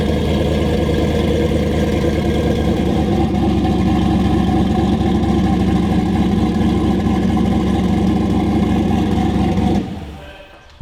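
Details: 1000 hp-capable LS V8 in Volvo 240 wagon after swapping crank sensor pins: deep lumpy idle, heavy loping chop about four pulses a second, steady, car shaking; oil pressure good, fuel pressure slightly high.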